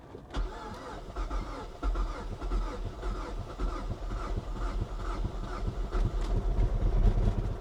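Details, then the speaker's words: Highly modified 2013 Mazda 3 at Copart, started in neutral: slow, labored cranking with uneven firing bursts that almost catches but never runs. Speaker calls it a whole-engine issue and says the car was raced hard. "Oh, that's bad. That was really, really bad. I can't do that again. That's That's a whole engine issue right there."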